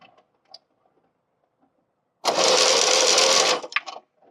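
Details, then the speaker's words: VAZ 8-valve engine (2109): brief, harsh, rasping grind from under the hood caused by a seized coolant pump, so harsh it seemed internal to the engine block; the pump seizure made the timing belt jump teeth. "В моем случае при заклинившей помпе был очень жесткий скрежет. Даже казалось, что что-то случилось с двигателем, именно внутри блока. Но оказалось, что это помпа."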